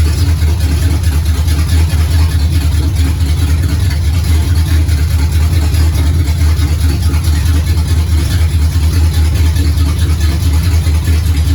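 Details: 1969 Pontiac GTO barn find with a 400ci V8 and a TH400 that needs rebuilding, run on a makeshift dash setup: deep, steady V8 rumble with no knocks or misses. The engine sounds healthy.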